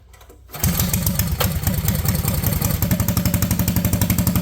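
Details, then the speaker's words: Honda Odyssey go-kart with replacement engine and new clutch setup, park brake set, first start: single cylinder catches after brief crank and settles into an even thump about four beats a second; normal idle. "I have the engine tacked back in place with the other clutch setup on so we'll start it up here and see if it wants to walk away at I idle got park brake set"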